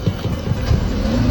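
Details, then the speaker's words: Car restarting after leaking carbon canister (purge) solenoid valve was tapped to reseat and reinstalled, fixing rich-mixture no-start: engine catches on first crank and settles into steady, even idle with no stumble; problem resolved. "咱们前面看看，快看，发动机运转的特别的平稳，稳如老狗。问题已经彻底解决了，怎么样？"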